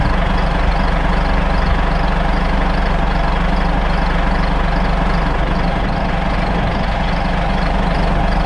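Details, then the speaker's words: Caterpillar 3406C diesel with mechanical injection pump, just started after bleeding air from fuel system with vacuum bleeder: deep, even idle about four beats a second, no stumbling or surging; normal idle. "i switched from two camera views there but that's exactly how long it took to fire up it didn't take long at all"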